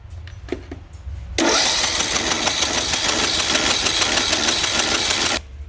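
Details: John Deere D110 Briggs and Stratton that turns over but won't start; the air filter is near new, the battery good, spark present, and brake cleaner gives no pop. Fast, free cranking for about four seconds that never fires. The compression test shows no compression.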